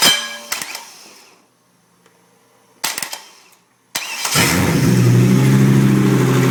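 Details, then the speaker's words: 2004 Chevrolet Colorado 3.5L I5 running on a pallet with a standalone harness, no radiator, started by jumping the starter: clicks, cranks and catches, settling to a slightly lumpy idle; owner suspects the tape-plugged vacuum port is partly why it runs rough. "the PVC valve is, well, that's maybe partly why it's not running entirely happy."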